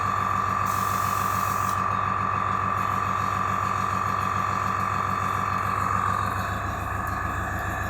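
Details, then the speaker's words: AS196 airbrush compressor after cleaning its check valve, filling tank toward 4 bar cut-out; steady pumping thump with even high whine easing near the end; filling normally and tank now retains air. "Right, so we're just waiting now for the pressure, the tank to fill up to max pressure of 4 bar and for the compressor to cut out. Or the pump to cut out."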